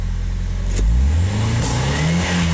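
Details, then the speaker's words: RHD Nissan 180SX warmed up: engine hesitates around 3000 rpm and gives a sharp pop out the exhaust on rev; crank angle sensor timing found maxed one way and fuel smells bad, both suspected. "Alright, we're warmed up. It's really hesitant. It's backfiring out the exhaust. You can see it hesitate there at 3K."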